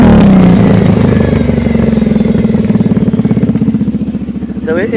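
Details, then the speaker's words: Kawasaki KFX 700 ATV after carburetor cleaning for backfiring; engine winds down smoothly on closed throttle with steady beats and no pops, where it would have popped before. "mainly this is just so we can see if it's popping um so right there when I decelerated would have popped before"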